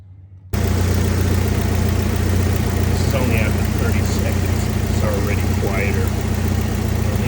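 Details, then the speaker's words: 1991 Jeep Wrangler idling for 15 minutes with engine flush added before an oil change to clear sludge: steady, even idle with low rumble and no lifter tapping; valvetrain sounds quiet and healthy. "all right now we're going to start it up and let it idle for 15 minutes to clean that engine"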